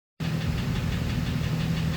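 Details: Warmed-up engine at idle, idle fluctuating a lot since first started; faint, quick knocking tapping beneath the engine note: idle engine knock, cause not yet pinned down.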